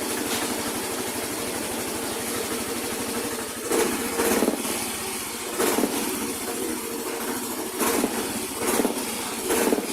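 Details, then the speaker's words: Yamaha Mio i125 / Soul i125 scooter CVT with dragging and strong vibration: engine surging in uneven pulses about once a second; cause found to be a flyball roller weight jammed in the variator, not a worn part or clutch spring. "Sana makatulong Ong video na to na in case na magkaroon kayo ng dragging at sobrang lakas ng vibration Ah i-double check niyo rin to yung fly Ball yan naipit"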